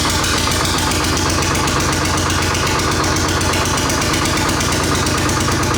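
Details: Rare 1938-40 GM Detroit Diesel 1-71 single-cylinder two-stroke, running after fixing a pinched fuel line: fast, even beat holding steady with no misses or stumbles; engine firing cleanly.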